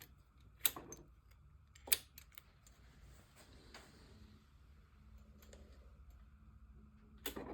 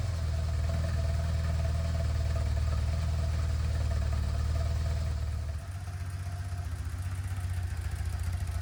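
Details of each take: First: BMW R1200C motorcycle, key on: sharp irregular clicks from inside the fuel tank with no usual pump whirr; swapping relays and fuses made no difference; failed fuel pump, replaced. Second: BMW R1200C after fuel pump replacement, no fuel leaks. A steady, low, even idle thump that dips slightly then settles; healthy idle.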